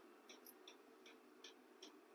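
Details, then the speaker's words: 12V diesel heater in a cargo-container workshop, switched from H2 up to H3: steady, evenly spaced light fuel-pump ticks over a soft fan hum, pump speeding up slightly and fan rising in RPM; running normally. "which is a plus now it's at H3 so you can hear the pump speed up a little bit and the fan come up to a higher RPM"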